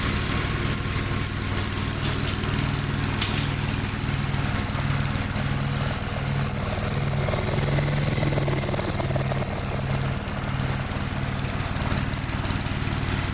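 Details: 1957 Gravely tractor mowing soaked grass: its single-cylinder engine holds a steady, even beat under the cut with no bogging or surging. It has lots of power to spare and runs normally; the remote PTO lever may have popped out.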